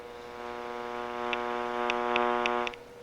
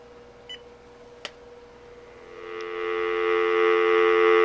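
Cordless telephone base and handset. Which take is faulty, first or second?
first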